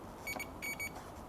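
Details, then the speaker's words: 2002 Aprilia SL1000 Falco, about 3,500 miles, sat 21 years, not starting: multimeter gives short high beeps on fuse continuity checks; fuses are good, so the owner next suspects the tip sensor. "Yep, absolutely nothing wrong with there."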